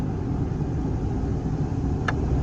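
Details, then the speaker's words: Nissan Xterra A/C blower after replacing the part that caused a flashing A/C light and no air on speed 1. Steady, even rush of air, now blowing on 1, no ticking, rattle or surging. Normal blower operation after repair. "And as you can hear, it's blowing on 1 before it wasn't doing that."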